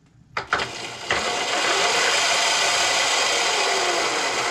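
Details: Razor E300 electric scooter fitted with a new 36 V 800 W brushed controller and larger 36 V motor: spins up within a second to a steady, even high whir with no grinding or knocking; healthy, though owner finds it weaker than expected.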